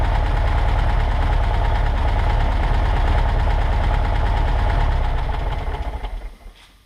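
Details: 1963 Volkswagen Karmann Ghia air-cooled flat-four, first run in over 10 years after fuel delivery fixes (varnished fuel line) and part replacements: steady, even busy clatter at idle, then shut off and winding down; runs properly.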